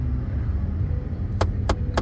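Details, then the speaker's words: 2010 Ford F-150 at idle with the heat just switched on, O2 sensor code stored: three sharp clicks about a third of a second apart over a steady hum, suspected heater blend door actuator clicking open. "it sounds like it's got that actuator clicking thing it's common in Chevy and Palace um sometimes just when you turn on your heat it's it's the the door um that just kind of clicks clicks open"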